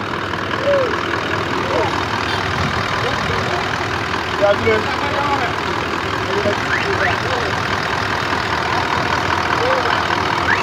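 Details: Toyota Land Cruiser engine around an engine repair: steady, even idle with a low rumble and no knocks or misses; the engine runs smoothly.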